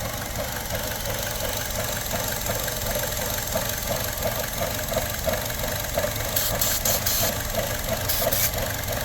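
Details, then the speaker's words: 2017 Buick Encore with check engine light and surging, parts store blamed an oxygen sensor: uneven loping idle, about three pulses a second, chugging from a vacuum leak, possibly from a faulty valve cover. "temporarily get sucked into a vacuum leak be super careful when you're doing something like this you can create a fire so just something to think about all right so we know here how it's chugging again"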